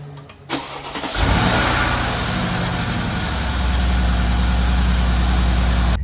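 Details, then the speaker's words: Cold start after 20 hours off on a Mercedes G63 AMG V8: starter whirs, settles into steady even idle with no timing chain tensioner rattle; normal. "All right. I didn't hear any rattling there at all. So, that was great. Especially after being off for 20 hours. It was dead silent. I mean, it sounded like it's supposed to."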